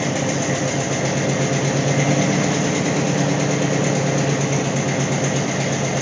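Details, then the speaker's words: AMC 290 V8 in a Gremlin, running better than ever: even, strong idle with a deep rumble and no knocks, but it chain-smokes. Owner plans to fit new valve seals to stop the smoking. "my project for today and probably tomorrow is going to be try to stop that smoking I'm gonna I got valve Shields I'm gonna yeah I'm going to valve seals I'm gonna put valve seals in"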